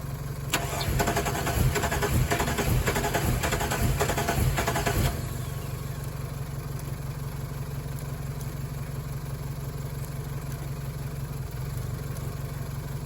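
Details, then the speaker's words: Chevrolet Colorado after sitting through the winter, following a backfire on an earlier attempt: starter churns steadily for several seconds but the engine never fires; the fuel pump is heard priming, fuel pressure uncertain; crank no-start. "See if we can hear the fuel pump, because I can't hear the fuel pump priming. There it is. It is priming."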